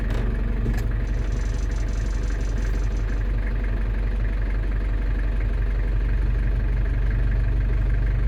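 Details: London Taxi diesel with automatic gearbox, freshly refilled after sump gasket renewal, idling while cycling gears to bleed: steady even idle, deep low rumble, brief soft clunk as a gear engages; normal idle.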